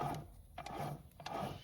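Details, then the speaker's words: BMW Z3 four-cylinder gearbox removed; input shaft spun by hand gives a dry, gritty ratcheting rumble from a worn input shaft bearing with excessive play; gearbox replaced. "you can hear there's like a bearing noise. As you spin it, it sounds even worse, but there is a lot of noise there."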